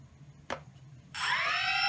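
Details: DJI Phantom 2 quadcopter after replacing a burned-out ESC, on power-up: short click then rising clean electronic tones settling into a steady high note; healthy ESC startup.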